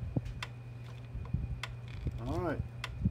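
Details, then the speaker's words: PEL 609 electric fence charger, 110-120 V, early-to-mid-1990s, after board repair: sharp single clicks every half second to second over a steady mains hum. Before repair it stayed on solid without clicking. Normal pulse clicking. "you hear it clicking. Wasn't doing that before, it was just staying on solid, it wouldn't click at all."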